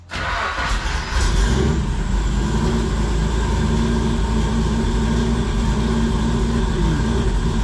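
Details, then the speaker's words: 1987 Nissan Pathfinder VG30 V6 after head gasket replacement and timing belt refit with tensioner spring now set: catches quickly into steady idle, no belt whine; possible vacuum or exhaust leak, timing needs work; normal running. "sounds like i might have a vacuum leak it might have an exhaust leak i definitely need to work on my timing but uh sure sounds a hell of a lot happier than it did last time"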